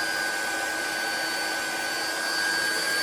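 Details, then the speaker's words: GX SC2/3 high-pressure compressor pump (about 100 to 300 bar in 5–6 minutes), just started: a steady, even fan rush with a constant high tone and no knocks or rattles. Cooling fan running normally. "It'll start up straight away. The fan will come on. It'll rise very quick."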